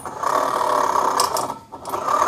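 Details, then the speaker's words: Honda Vario 125 scooter with the pulley cover opened: a rough, steady growling hum at mid pitch that dips as the wheel slows and returns when spun; suspected worn rear pulley bearing, to be confirmed if the noise goes smooth with the pulley removed. "kalau misalkan nanti ketika dibuka poli suaranya langsung alus Nah itu berarti permasalahannya hanya ada di laher pu"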